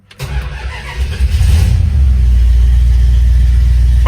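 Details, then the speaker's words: 1971 Dodge Dart Swinger 318 V8, 130k original miles, Edelbrock 600 carb, long tube headers, not started in about eight months: brief cranking, catches at once and settles into a steady, deep, even idle within two seconds; normal cold start. "right up I haven't started it in probably eight months [Music] sounds really good [Music] so"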